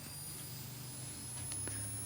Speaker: I'll just turn it on your whining is it's charging up